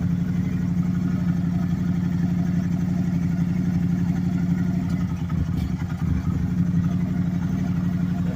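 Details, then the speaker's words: 2010 Can-Am Spyder RS 990 three-wheeler, Rotax twin, just started: deep, even, steady rumble with smooth unbroken beat, no knocks or misses, rowdy-sounding; normal idle. "You can kind of get a has kind of a rowdy sound to it. Sounds kind of good."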